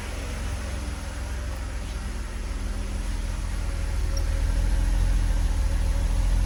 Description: Slight stumble / misfire on my Megasquirt ms3x install on my Mercedes Benz W124 with 3.0 M103 engine.